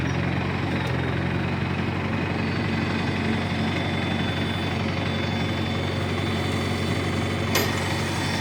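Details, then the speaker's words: 1953 Farmall Cub tractor after refilling low hydraulic fluid (NAPA tractor hydraulic transmission fluid): steady fast even chug, earlier high-pitched squeal gone, sounds a lot better; normal running. "sure has gone that high-pitched wheel that we heard squeal that we heard earlier is certainly gone"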